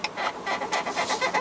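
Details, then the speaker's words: Renault Samsung The New SM6 rear seat being adjusted: quick chirping squeaks about five times a second each time the seat moves, blamed on poor assembly quality; cause suspected, not confirmed. "아까 앞뒤 시트 움직이는데 조작하는데 자꾸 삐걱삐걱 그러고요."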